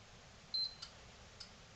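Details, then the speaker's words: PlayStation 4 with no-power fault, run without its non-functioning power factor correction stage: one short high beep, faint click, then silence as it powers on and shuts off; suspected PFC monitoring shutdown, failed MOSFET suspected. "yeah look came on and went off well my guess is that it's probably monitoring the performance of the power factor correction and as that's not functioning it's shutting off"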